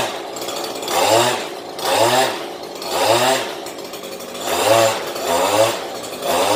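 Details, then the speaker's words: Stihl HL94K petrol hedge trimmer after blade cleaning, blipped about once a second: even buzz rising and falling cleanly with no blade chatter. "as far as you could hear how smooth those blades went"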